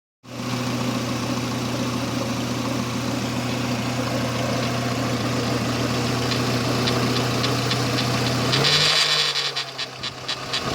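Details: Renault Espace III 2.0 16v at idle: a loose, irregular ticking, about three per second, over the steady hum, then brief revs. Abnormal engine noise; the source is unclear.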